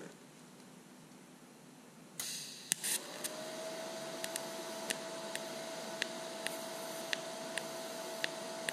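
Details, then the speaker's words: Lincoln Electric Aspect 230 TIG welder, DC pulsed welding 304 stainless at about 0.9 Hz pulse frequency; steady arc hiss with thin tone and crisp popping pulses; normal low-frequency pulsed TIG arc. "so you can hear the pulsing it makes kind of a popping sound at this lower frequency"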